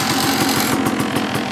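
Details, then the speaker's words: Dirt bike single after carb cleaning, pilot jet and pipe blown out: started on choke, then idling with the choke off. A quick, even popping beat with a crisp exhaust bark settles into a clean, stable idle. "Ah that's better choke off idling already I like it"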